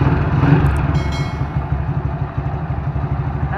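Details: Motorcycle after fitting a CNC primary clutch set, exhaust refitted and oil returned: even low idle pulse with brief background clatter; earlier slapping from the clutch side, blamed on a worn, loose part, is gone. Normal idle.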